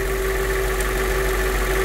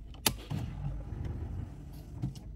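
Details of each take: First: Mercedes CLK 500 (W209, M113 V8), after fresh fuel and lubricant for a crank-no-start problem; it now starts on the first try and holds fuel pressure around 60 psi; steady, smooth, even idle with no misses or knocks: normal idle. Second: 2003 Mercedes CLK 500 W209 with M113 engine that needs about 20 seconds of cranking to start, during a fuel pressure check: a few clicks, then it catches and runs with a lumpy, unsteady rumble; erratic running, fuel delivery suspected.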